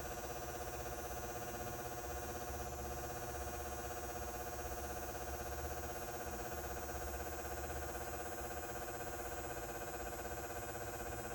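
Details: House-mounted light fixture over 20 years old with a Brinks 175W H39 high-pressure sodium bulb. Its usual steady buzz is now louder, with a new fast, even tick about four per second, likened to an engine running. The light seems to pulse slowly. Cause unclear.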